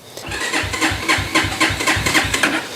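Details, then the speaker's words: XR150 clone single-cylinder bike on electric start. The starter turns it over in slow, heavy pulses, about four a second, and it never fires; the battery seems weak. "I do have the battery, seems pretty weak. I'm going to put my kickstand up, hit the decompression lever."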